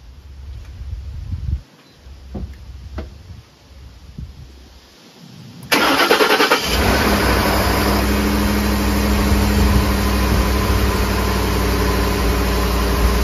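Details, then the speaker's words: Ford F-150 5.4L Triton 3V V8 just started after VCT/VVT solenoid replacement: cranks, catches and settles into a steady even idle with a light tick, typical of these engines; no leaks or vibrations, sounds healthy. "what do you guys think sounds sounds good healthy engine that's right"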